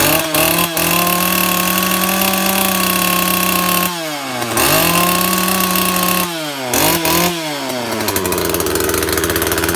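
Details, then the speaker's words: Makita top-handle climbing chainsaw, two-stroke petrol, first start after replacing broken-down primary ignition coil: crisp idle with clean throttle blips revving up and dropping back smoothly; now runs properly. "ah now she runs"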